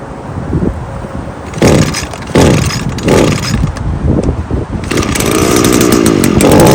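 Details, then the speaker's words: Small two-stroke engine after carburetor disassembly and cleaning, revved several times: buzzes up cleanly each time with good throttle response, no bogging or stumble, no adjustment needed; normal running. "as you can hear it's got good throttle response it's not bogging either so no need to do any adjustments"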